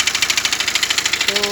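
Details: BMW X1 diesel idling: rapid even ticking chatter of about ten beats per second over the idle, diagnosed as crank pulley (damper) noise.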